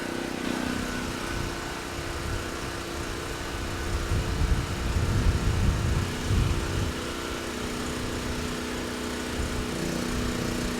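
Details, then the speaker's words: Titan TG8000Z 8000 W generator after carb mixture screw set to two and a half turns out, at about 61–62 Hz, 125–128 V: steady drone with a brief swell under load, then levels off without surging; engine good. "not too bad started right up sounds good surging is not an issue and handle the load just fine so we know the engine is good"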